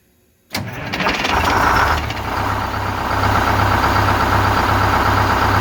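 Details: 4106 bus diesel after Allison V730 transmission swap, in shop: cranks, catches at once and flares, then steady even idle with no misses or knocks; normal start and idle.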